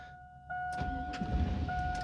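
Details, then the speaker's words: GMT800 Chevy truck with Vortec V8 after PCM replacement, during VATS relearn, battery supported by another running truck: steady warning chime while starter churns unevenly and engine never fires; anti-theft lockout blocking start. "Turn the key off, 10 seconds. Crank it twice. All right, it didn't start."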